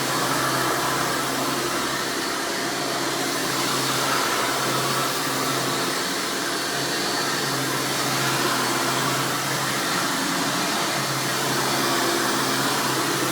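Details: 1996 Hoover Spirit (Elite) U5067-930 upright vacuum running: loud steady high-pitched motor scream with constant airflow rush, no surging or rattles; normal operation, the unit slowly propelling itself.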